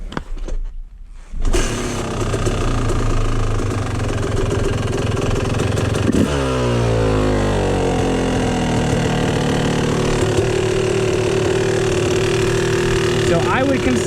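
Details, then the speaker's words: Warm Yamaha YZ250 two-stroke dirt bike before idle screw adjustment. It holds a fast, steady crackling idle that never settles low because the idle screw is set too high and needs backing out. "this engine idle to be a little bit too high. So, I'm going to back it out."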